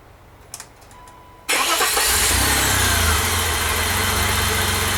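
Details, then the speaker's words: 1988 BMW E32 735iL, freshly rebuilt M30 B35 inline-six, first start after priming fuel pump: starter catches, settles into smooth even idle with no ticks or knocks; healthy. "I have to say I'm quite happy with that."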